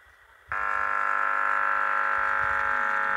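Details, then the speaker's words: Huper AK15A (15HA400) amplifier with low or intermittent bass, speaker output rewired via relay; touching the input gives an instant steady buzz until released, speaker working: normal amplifier output. "speakernya normal Ya sudah ada suaranya"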